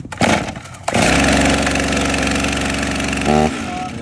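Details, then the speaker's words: Fire department chainsaw, already hot, started with chain brake on: pull-start rasps, small two-stroke pops and catches into a steady buzzing run; normal start. "pull this until you hear it trying to start then that's your go ahead to flip this up and then start"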